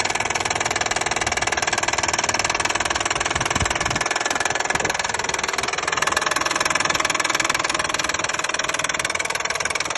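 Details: Hyundai/Kia 3.5 G6CU engine at idle: steady, fast metallic ticking knock about four per second on top of the running noise; engine knock, source undetermined.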